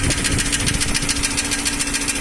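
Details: Nissan Almera N16 engine at steady idle, knock appeared about 3,000 km after piston rings and valve stem seals were replaced, unaffected by speed: fast, light ticking about a dozen a second over the engine, confirmed as tight intake valves.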